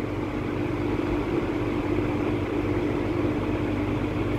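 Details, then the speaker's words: Late-1950s Sears Homart 20" box fan, model 480-9360-6, universal motor, on high after loose motor wiring was fixed: a smooth, even mid-pitched drone, no longer the earlier humming, grinding buzz. "and that is much quieter than it was before before it just made like an awful like humming almost grinding buzzing"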